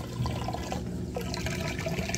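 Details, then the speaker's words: Samsung king size top-load washer, heavy towels load, moving from wash into rinse cycle; steady low rushing gurgle as water drains out fast with no straining or rattling; normal drain. "here draining that water out nice and fast and then once it's done draining all that water out it'll spin out the used up soapy water"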